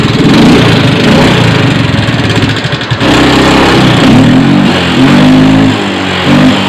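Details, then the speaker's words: Yamaha Mio 125 FI (M3) scooter engine: harsh, uneven clattering idle with a wavering beat, very rough top end. "luar biasa kawan suara ekstrim Oke kawan ya nanti akan kita periksa poinnya suara ke matak itu sumber penyebabnya banyak karena di dalam mesin itu kaitan besi dan besi besi dan besinya bisa bekerja dengan baik atas dasar ada pelumasan oli"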